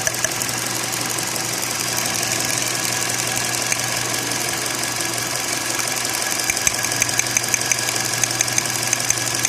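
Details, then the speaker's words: 2016 car, idle runs rough with uneven stumble about twice a second over hiss; misfire from number four ignition coil leaking current to engine ground. "का current जो है buyer इस तरह leak होना शुरू हो जाता अभी वीडियो में सही क्लियर नजर नहीं आ रहा है तो गाड़ी मिसिंग करना शुरू कर देती है"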